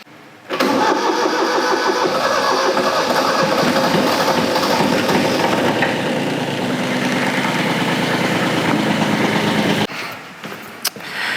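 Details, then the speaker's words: 40-year-old Kubota F2000 front-mount mower diesel, started with air vent plug open to bleed fuel after fuel filter change: churns unevenly about three times a second for several seconds before settling; slow start from air in fuel system. "So as you're bleeding the fuel, it's just bleeding itself back to the tank. And it took longer to start, obviously, because there's air"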